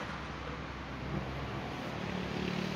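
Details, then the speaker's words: New Kymco Dink 150S scooter with ABS, just started; soft, low, even putter with no knocks or rattles, very quiet: normal idle. "Yan. Okay. So tahimik na tahimik, no?"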